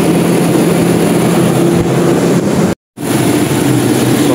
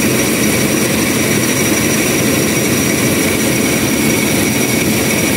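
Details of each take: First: Toyota Revo, cold start, after replacing belts, AC tensioner bearing, power steering tensioner bearing and another bearing to cure squeak with AC on: steady even engine hum, no squeal or chirp from belts; normal cold start idle. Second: Toyota Revo idling with aircon switched on: steady high-pitched squeak over even idle; accessory belt squeal.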